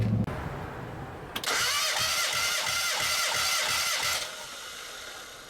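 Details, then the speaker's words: Compression test with all spark plugs removed and gauge in cylinder one: starter spins the engine at an even, quick whirr for about three seconds with steady pulses; first hit 85 psi, peak around 170 psi, healthy compression. "the needle hits on the first uh puff you hear the first compression stroke and then after about 5 to seven uh compression Strokes see what the peak number is"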